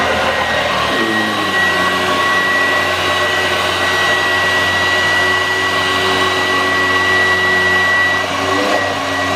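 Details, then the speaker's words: 1986 Vorwerk VK 117-1H upright vacuum cleaner after cleaning and a modification, vacuuming low-pile carpet: steady, strong motor roar with an even pitch that settles slightly as it bites into the carpet; running normally. "so yes now it's working like it's it much much better"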